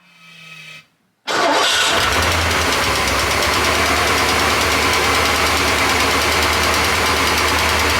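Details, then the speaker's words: Porsche 928 V8 start-up: catches and settles to steady idle with light fast lifter-like tapping, after oil pump work; owner unsure whether caused by oil drained during the work, smoother by the end. Valve tapping at start-up. "and it was quite tapity this time around and I didn't know whether that's because I've drained a lot of oil out of it in the course of what I've just been doing"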